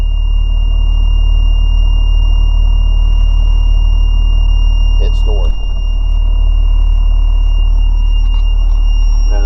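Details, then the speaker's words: Diesel RV with glow plugs, warm so no glow needed, engine started to retract hydraulic leveling jacks: constant loud pump drone with steady high squeal and brief creaks as coach settles; jacks retracting normally. "it sits down and all the jacks go up."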